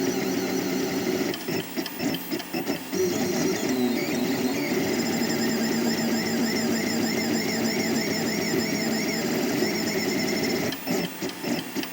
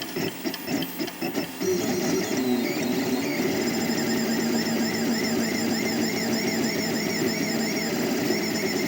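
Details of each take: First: 3D printer before installing NEMA 17 stepper vibration dampers between motor and mount: high, warbling, strident whine shifting pitch as the axes move, stepper vibration ringing through the undamped frame; dampers later made it a dull, non-disturbing sound. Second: 3D printer stepper motors after fitting rubber vibration dampers between NEMA 17 motors and mounts, same print and speed: soft, dull hum with gentle rising and falling tones instead of the former high shrill whine; decibels about unchanged; steppers run quietly.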